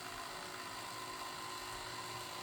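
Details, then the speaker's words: Replacement electric motor for an ex-police BMW G31 Touring, bench-tested on 12 V from the car's battery: smooth, steady high-pitched whine holding constant pitch, then cutting off cleanly; it spins freely with no grinding. "Okay, I'm not going to wait until it reaches the end position because now obviously the motor will keep on going. Nothing is telling it to stop."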